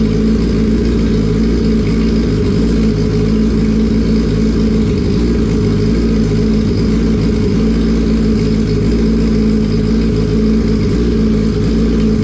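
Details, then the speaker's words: Turbocharged Yamaha R1 on a self-built base map, low idle: steady throaty pulse with no clear rev rise, runs rich and bogs when blipped, fuel left with too little air after letting off; acceleration enrichment too strong. "we Riv it and as you saw I rived it and it really bogged down that's just fueling and fueling and fueling and then it just you let off the throttle there's all that fuel still in there not enough Air Boom she's out"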